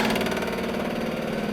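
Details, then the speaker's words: 2006 Club Car DS gas golf cart, sat about four years: click-clack siphon pump, wired to the battery and drawing old fuel from the tank outlet, gives a fast, even clattering buzz with a hard rattle as it vibrates against the seat mount. "all right so the pump is just vibrating up against the seat mount here so we'll just move it over"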